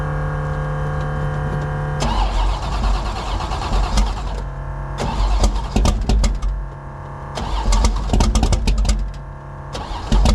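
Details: Drag car V8 with no choke and the wrong 878 CFM Pro Systems carb, cold start at about 20 degrees: slow, uneven starter churning drags on for seconds before it finally fires; a hard cold start.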